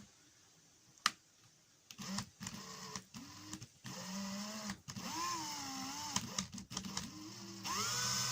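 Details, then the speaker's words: Makita DHP483 cordless drill: motor whirs up in short bursts and keeps cutting out with the trigger held, pitch wavering, sometimes not running at all; owner is 90% sure the intermittent trigger switch is the cause. "I could put the trigger in sometimes at all and it doesn't work, so when I put in the trigger you find that it's only cutting bits in and out, and it should be starting, the chuck should be starting to move there, and it's not."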